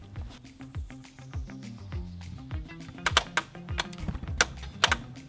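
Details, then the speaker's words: Converted school bus (tiny-home renovation), wiring being removed and about a dozen wires left disconnected: sharp irregular relay clicking in bursts from under the panel; owners suspect something unplugged that the bus needs to turn on; bus now won't start. "yeah something's going on under there i hear a relay box clicking do you hear it yeah must have unplugged something that requires the bus to turn on"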